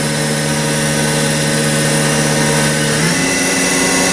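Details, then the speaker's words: Haas VF5D/40 vertical machining center after a warm-up program, spindle ramped in 10% steps around 2000–2500 rpm: smooth, steady whine stepping up in pitch cleanly around three seconds, with no rattle or grind; healthy spindle. "It's nice and quiet here, so you can kind of hear it running."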